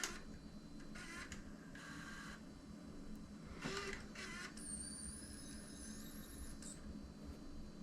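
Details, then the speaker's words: Panasonic AG-HVX200P DVCPRO 3CCD camcorder, first tape load: short motor whirs, rising high squeal and uneven clicks as the transport loads; sounds rough, no error codes, tape compartment feels loose, cause unclear; a second load sounded better. "That didn't sound very good right off the bat."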